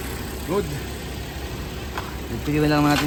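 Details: Suzuki Jimny JB43 idling with a low, even murmur and steady beat, no misses or stumbles. Its rough low-rpm idle was addressed by replacing the head cover gasket and fitting new spark plugs.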